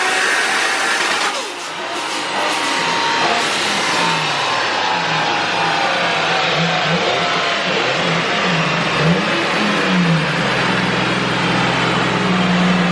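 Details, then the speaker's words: Nissan R32 Skyline on dyno with new intake manifold spacing injectors and changing spray pattern, ECU remote-tuned: held at low rpm under load, lumpy uneven burble, running a little rich at low rpm. "So at lower RPM, a little bit too much fuel. As you can hear, it's a little rich right now and he's just tweaking it and dialing it out."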